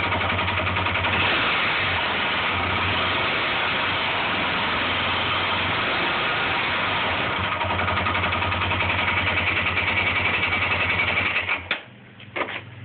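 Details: Honda 400EX single-cylinder ATV engine at idle: loud, regular knock about three to four a second with an occasional extra-loud one, owner says not the valves; engine knock at idle.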